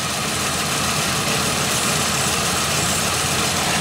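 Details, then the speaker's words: 2001 Pontiac Aztek GT, 170,480 miles, after sitting a year: a steady airy hiss over a rough, shaking idle, with no ticks or knocks. Vacuum leak traced to a cracked vacuum line end. "I kept hearing a hiss and I was kind of moving this around"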